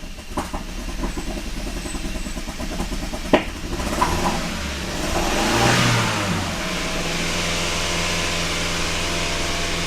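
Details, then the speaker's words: Kia pro_cee'd GT with a long-running cold-start misfire: after fault codes are cleared the idle stays very lumpy and stumbling, won't clean up after a blip, and the engine warning light flashes again with the same misfire codes and a bad smell. "okay so it's still really really lumpy yeah something is not right at all the engine warning light is now flashing once again"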